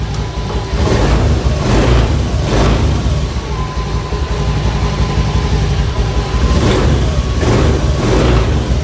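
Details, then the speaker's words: Honda automatic scooter (Vario) after fixing intermittent misfiring (brebet) by replacing the fuel pump rotak: the engine picks up cleanly on several quick throttle blips and drops back to a smooth idle, with no hesitation; revving is normal. "Tuh teman-teman, suaranya juga enak ya, dengungannya juga pas. Teman-teman, langsamnya enak ya."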